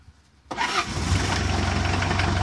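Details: 1985 Ford Escort diesel with replacement Mazda RF 2.0 engine, first start after sitting three years on the same diesel fuel: it catches after half a second and settles into a steady, even idle clatter; normal start.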